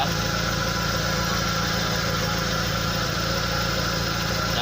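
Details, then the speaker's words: SS pickup at idle with a snoring, noisy sound: raspy hollow rumble over the engine note as exhaust escapes; cause found as a leak in the exhaust pipe, with old weld patches nearby. "Nah, dan biasanya ini penyebabnya yaitu ada kebocoran dari pipa knalpot pembuangan."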